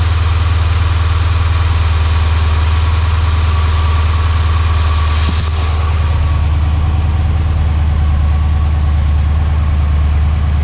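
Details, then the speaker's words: Dodge Hemi after serpentine belt replacement: steady, smooth low idle with even hum and no squeal or chirp from the belts; engine running healthy. "So let's go ahead and turn it on, and let's listen to this. Should be a lot more quiet."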